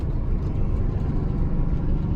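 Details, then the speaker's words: GM 4104 bus under way after a transmission swap (whine was a bad bevel gear), new clutch and rear main seal: steady low road rumble with no gear whine; about 90% quieter, clutch slightly stiffer; normal transmission operation. "it sure is quiet back there the clutch pedal feel just a hair stiffer"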